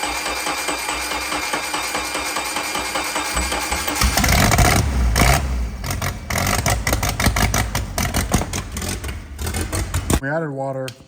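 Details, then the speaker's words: Mercruiser 3.0 marine petrol engine run on a jump pack with water hose connected, rusty water coming out; runs roughly with an uneven, stumbling beat, a new misfire not present before, then music: engine misfire. "hear the mire that's not a good sign didn't have a misfire before"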